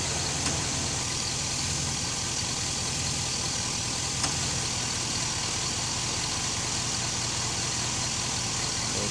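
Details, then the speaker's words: Chevy SSR new electric cooling fan running on high with vehicle running; steady, even rush of air, no rattle, tick or wobble, very quiet; normal. "seey can't hear it very quiet real the hand the fan is on high the same about the same as the"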